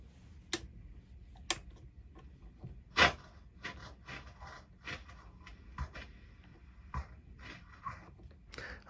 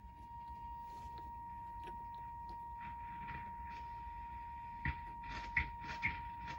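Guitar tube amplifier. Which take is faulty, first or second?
first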